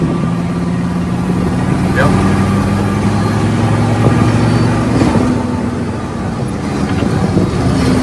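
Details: Mercedes 300 SD diesel engine swapped into a Jeep Wrangler, first run with fuel leaks, sticking brakes and no temperature gauge: steady low diesel drone with even clatter holding pitch under light load, no knocks or misses; engine sounds healthy.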